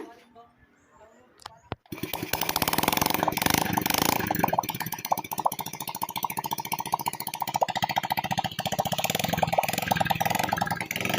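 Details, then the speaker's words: Honda Wave 100 motorcycle, running with no muffler after restoring ignition coil spark: loud, rapid crackling exhaust beat, fairly even with no dropped beats; fires cleanly, normal idle without misfire. "Pakinggan natin ang tunog, pakiramdaman natin. At maingay pa to mga boss dahil wala itong muffler, no?"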